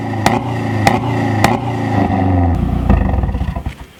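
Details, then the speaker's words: 2012 Mazdaspeed3 turbo engine just after installing a silicone turbo inlet hose: strong low roar with sharp regular clicks, rising then settling as revs drop; idles and revs healthily, with deeper sound and more intake noise. "okay so I haven't driven it yet but it does have a little bit lower end sound and I can hear it sucking more air and it just sounds like it's healthier"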